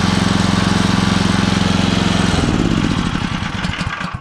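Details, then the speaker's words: Small single-cylinder engine driving a poly-V belt pulley setup at working revs: hard pulsing with buzzing rattle and crunching, whole rig shaking; excessive vibration, later traced to a part distorted by welding. "Очень все сильно вибрирует. Ребят, ну вот сейчас снял, но ведет. Даже слышно, что идет какой-то хруст, хотя там вот зазор приличный."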